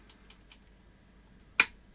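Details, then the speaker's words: Sony SL-C9 Betamax recorder fitted with a known-good power supply and working DC-DC converter; a few faint ticks, then one sharp relay click in the power supply, then silence with no motor or hum; clicks but won't power up, fault unknown. "let's Power It Up nothing almost nothing I can hear relay click in the power"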